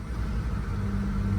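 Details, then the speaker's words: 2005 Honda Civic auction car with busted radiator, first start, no throttle: short, steady low hum with no knocks or misses, settling into a smooth, even idle; belts fine; normal idle. "Oh, it does not get any better than that. Now, I don't want to let it run for too long."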